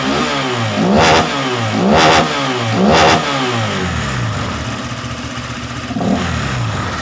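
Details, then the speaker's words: Honda PCX 150 after a valve adjustment, throttle injection not yet cleaned; the complaint was an unstable idle, and revving is said to be roughly back to normal. Three quick clean throttle blips, then a steady idle; it revs freely and evenly. "Ini untuk suara dan pelayaran ini sebetulnya belum dibersihin ya bagian injectionnya"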